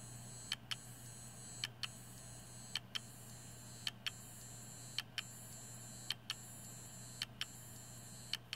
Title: Seagate Barracuda 7200.11 Clicking Sounds